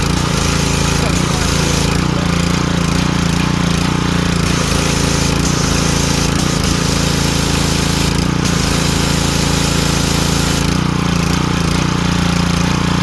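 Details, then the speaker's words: Ryobi 2900 PSI 2.5 GPM pressure washer after pump replacement, tested with water supply on: steady small-engine drone with even pump pulsing under load, no knocking or stumbling; working perfectly. "Here we go, guys. Working perfectly. Back in business."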